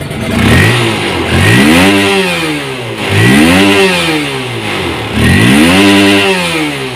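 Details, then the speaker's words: Honda CB150R (first-generation, bulb headlight), standard engine, after ECU remap removing rev limiter: three clean throttle blips revving freely to 12,000 rpm, previously cut at 9,000; pitch climbs sharply and falls smoothly without cutting out. "Jebol ya, tadi berhenti di 9.000, sekarang 12.000, tangguh."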